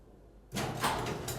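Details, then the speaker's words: Garage door opener triggered by shorting the button wires to simulate a smart relay: quiet, then steady whirring motor drive and door moving; normal operation. "and touching them together and all that it's open will simulate pushing the button once again"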